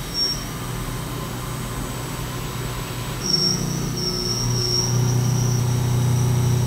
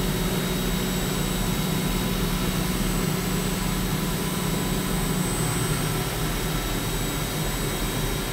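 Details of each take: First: CNC milling of aerospace A286 stainless steel, chip load raised from 0.0036 to 0.0043 in at doubled depth of cut: the steady cut grows louder with a deeper drone and thin squeal as tool pressure increases, still cutting successfully. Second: CNC milling of aerospace A286 stainless steel at about 20% radial engagement, over one inch deep: steady, even roar with constant low hum and faint high tone, a healthy cut without chatter.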